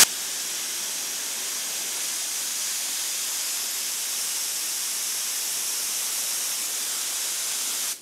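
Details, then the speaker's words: Spray gun on regulator at 26 psi with no desiccant filter fitted, compressor discharging about 110–115 psi: strong, steady, even hiss with no pulsing or sputter, a massive increase in airflow; normal, unrestricted flow. "26 pounds you could hear that massive increase in airflow"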